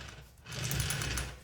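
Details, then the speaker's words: 1971 Honda CB750 chopper, engine apart. The kickstarter mechanism is turned by hand, giving quick light clicks in a short burst as the pawl ratchets over with its spring so the kicker resets. Normal. "it's that little clicking sound that you're hearing from in here so that clicking sound is that Paul and that's what basically makes it so that your kicker resets uh afterwards"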